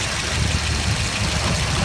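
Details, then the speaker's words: Volvo 740, 107,000 miles, just after distributor cap, rotor and distributor replacement, possibly burning a little spilled oil: steady even idle rumble, no misfire or knock; owner notes an odd sound, suspects the belt. Normal idle. "But the engine sounds alright."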